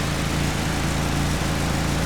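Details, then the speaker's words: Nissan Sentra SE-R SR20DE idling: low uneven idle with an occasional brief sputter like a skipping cylinder, then idling fine again. "the F all doing it earlier that little sputtering now it's idling fine again"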